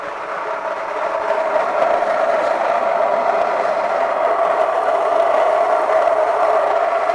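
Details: Stone grain mill cracking barley at a coarse setting, with the grain heating as it passes through: a steady, even grinding rush with a faint rattle of cracking grain. The mill is running normally.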